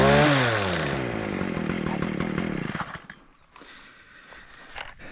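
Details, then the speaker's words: Stihl KM56RC KombiEngine, which had failed with a pop under hard hedge-trimmer use. After repair with a high-torque flex shaft and a warm-up, the little two-stroke revs high and drops smoothly off throttle without stumbling; it runs normally. "All right, she's cutting. So, I think we're back in"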